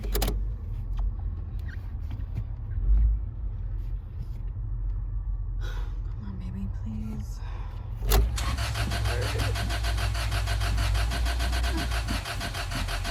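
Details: Car that stranded the driver again: low steady rumble, then a start attempt with rapid rhythmic cranking that never catches; cranks but won't start.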